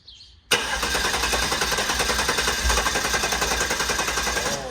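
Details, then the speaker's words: Guanci SSJ mid-engine V8 prototype, first start attempt after over 25 years in storage, fuel circulating and no leaks: the starter cranks at an even chug, about 3.5 beats a second, with one dull pop; unsure whether it came from intake or exhaust. "Hear that? Oh, yeah. Huh? Where did it pop out? The intake, the exhaust?"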